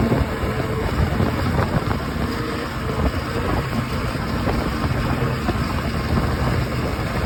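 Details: OX66 outboard at steady idle with a dense, rough, gravelly grinding rumble under the exhaust; changing spark plugs stopped it only briefly, compression excellent, prop not slipping, cause not found.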